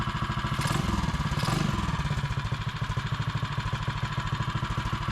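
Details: Mighty, a custom swing-arm Mega Moto minibike, just fitted with a Pauls Karts Hot Coil replacing the stock coil: crisp, evenly spaced single-cylinder firing at steady idle after a short rev, no misfires; runs clean.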